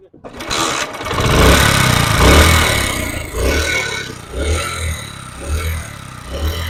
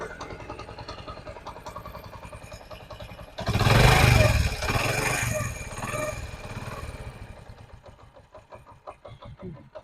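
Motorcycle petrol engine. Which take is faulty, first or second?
first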